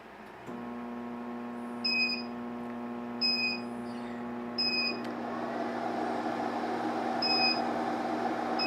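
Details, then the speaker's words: Garvee 14,000 BTU portable air conditioner on a 2000W pure sine wave 12V inverter, battery at 13.29V dropping to about 12.8V, set 68°F auto cool: steady hum with short double beeps, then the hum cuts out as the inverter trips and shuts off on startup surge. "And it cannot do it. Actually, and there it went, it shut off. The inverter This inverter can't do it."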